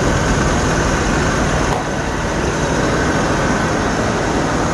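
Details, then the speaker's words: 1986 Ford F-150 straight-six after water pump replacement: steady even idle, no knock, tick or wobble; runs smooth and healthy. "dude that thing runs smooth man can't beat it"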